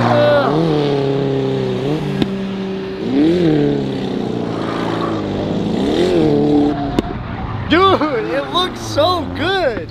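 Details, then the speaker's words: Car drifting on track: hard revs with sharp cracks and pops off throttle, flames from exhaust; one onlooker calls it misfiring, another thinks it blew an exhaust gasket; unconfirmed. "Yeah, it's definitely misfiring. It's misfiring. It's misfiring for sure. It's shooting fat flames out the back. You can hear it every time."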